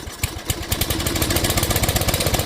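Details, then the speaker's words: 12 HP Briggs & Stratton flathead single after sump/PCV gasket repair and carburetor cleaning: slow, even thumping at idle building smoothly to a quick, steady patter at full throttle; running healthy, no oil leak. "That's idle. Go back up. Yep. Way full throttle. There it goes."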